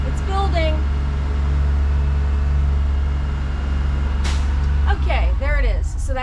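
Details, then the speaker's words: Propane-powered bus at pre-trip, air pressure building to 120–140 psi with brake pressed: steady low engine drone at fast idle, then a sharp burst of air hiss as the governor cuts out; air tanks full, system normal. "So that's the governor cut out. That means our air tanks are full."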